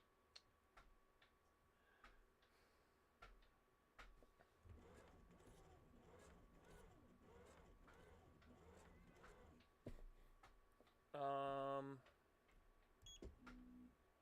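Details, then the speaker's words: 3D printer after firmware upgrade, axis moved by hand: quiet light clicks, then a short even stepped whine as the axis travels, smooth with no grinding or skipping; stepper sounds normal. "so if I move this by hand sounds normal that sounds normal to me"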